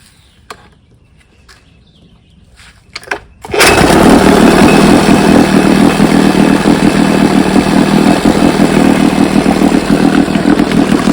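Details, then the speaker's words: Rebuilt 1971 Evinrude 9.5 HP outboard, model 9122R, barrel test run: one short pull and it catches instantly, settling into fast even two-stroke idle that holds steady; healthy start and idle. "Runs pretty darn good. Watch this little short pull to get it started. Hey, it don't get much better than that."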